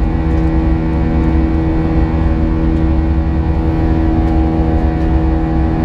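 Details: United Airlines A320 climbing out of Houston IAH for NYC LaGuardia, recorded in the cabin: steady buzz-saw engine drone with a constant high-pitched tone from 1:33 until level-off; source unknown, and the uploader heard it once before in an exit row.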